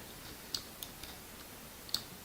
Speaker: Okay, so it's likely you're going to hear the clicking, which is basically a radiator clicking, so I can't really do anything about it except if turn it off.